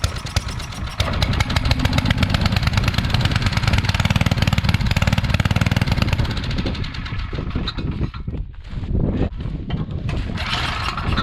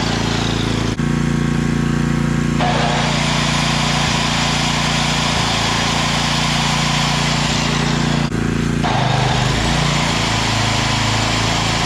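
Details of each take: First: Coleman Powermate 5000-watt generator that sat for years, now with fresh oil and gas, cleaned and a new fuel line clamp: it catches and runs loud and choppy, then sags and stumbles. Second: Coleman Powermate 5000 W generator after cleaning, fresh fuel, a new plug, an oil change and a throttle-spring adjustment: a steady, even, firm drone with a brief dip as the throttle eases. It now runs at full speed with output up from about 80 V to 120 V.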